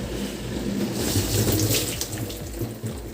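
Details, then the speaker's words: Bosch SRV43M43RU/01 (type SD13JT1B) dishwasher after repair of the recirculation pump impeller (had hummed and not drained); steady water swishing and spraying with even low pump hum, no strain or gurgling; normal wash circulation. "Судя по звуку по опыту вроде как [музыка] нормально оп чуть-чуть сдвинулась Но работает всё"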